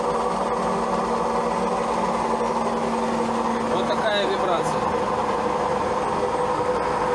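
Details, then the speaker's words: An old Zanussi automatic washing machine on its spin cycle gives a loud, steady hum with a fast, even throb and heavy vibration that visibly moves the machine. The cause is unknown. "Что-то гудит. Сейчас идет отжим."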